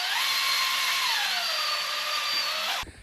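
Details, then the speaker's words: 1972 AMC Javelin stock 304 V8, 25,000 miles, parked since 1973, oil pump primed with a drill: steady whine sags and drags as the pump reaches full prime and pushes oil throughout the engine. "I start off slow, like first gear, it's got torque and it just kind of pulls the oil. You can hear it kind of drag down right there where it got full prime. Now it's actually putting oil throughout the motor right now."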